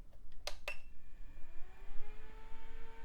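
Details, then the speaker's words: Case fans of a retro PC tower: two soft clicks, then a smooth whir with steady, harmonious tones settling in pitch, with no rattle or scraping. The fans run cleanly. "that sound great and you know they have a certain Harmony to them"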